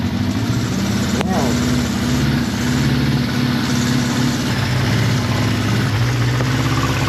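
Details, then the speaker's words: Suzuki GS550T motorcycle, first start in 10–15 years after ultrasonic carb cleaning, cold: low, slow idle running steadily only on choke; idle speed low, to be adjusted. Engine needs choke to keep running. "so it needs a bit of Choke so it's running and I'm really shocked with that but uh it needs a bit of Choke to keep running"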